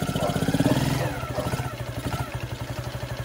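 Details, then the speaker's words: Free carbureted quad (ATV), first start in several years, choke on: fires, runs loud briefly, then settles into an even, steady idle; no smoke, no leaks from overflow or float bowl; normal start and idle. "it idles. Just like that, it is idling perfectly. No smoke coming out right now."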